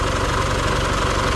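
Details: Isuzu D-Max 4JK1/4JJ1 diesel after overhaul with all-genuine parts and new injector nozzles fixing earlier shaking: even idle clatter, no misses or uneven knocks; running smoothly.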